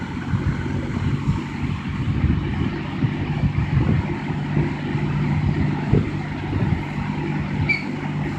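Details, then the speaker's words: 1960–61 GE W-15 variable speed box fan, pilot lights on, turned to full speed: steady low hum with an even rush of air, constant pitch, no knocks; back metal grill tends to buzz on low; normal fan running. "you can see the pilot lights on yeah we'll give it full throttle"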